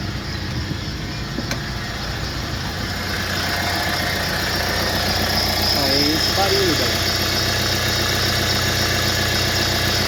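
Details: Renault Master diesel van, pump already replaced, possible air in the system; light regular tick about four per second at idle, source unknown, owner suspects a pulley; ticking noise at idle.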